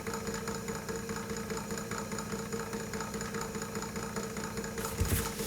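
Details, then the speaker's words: 1940s Peirce Wire Recorder Model 55B mechanism under restoration: a soft knock two to three times a second over the drive hum. Likely a flat spot on the hardened rubber drive part; rubber renew may help. "all right look at that boy is that ever noisy know some rubber renew might actually work for that probably because there's a mild flat spot on"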